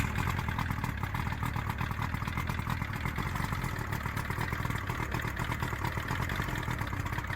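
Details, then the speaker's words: Johnson 70hp three-cylinder two-stroke outboard, unknown history, after carb cleaning, new plugs and fuel lines, run on water: quick even putter holding steady at idle, no misses or surging, telltale pumping water; normal idle. "Let me just spin you around. Okay, so it's pumping water nicely out the telltale."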